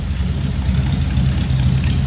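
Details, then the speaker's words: 1948 Ford Super Deluxe Coupe flathead V8, odometer about 26,348 miles (originality unconfirmed), heard from the rear at the old dual exhaust: a low, even rumble with a smooth, unbroken beat and no knocks or misses; normal idle. "Old dual exhaust coming out of that flathead. A little bit of a rumble to it."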